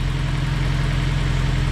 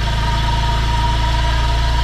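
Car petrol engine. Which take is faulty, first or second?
second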